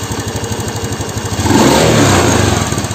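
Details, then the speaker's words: Honda Beat FI scooter revved from idle: the revs rise, then sag and flatten as the throttle reaches its stop, losing upper-rpm power while low and mid range pull fine and the idle stumbles slightly. "Nah dianalisa jadi ketika mau mendekati atau pentokan sama dibagian sininya itu malah justru tenaganya itu ngempos cash ya jadi segini nih"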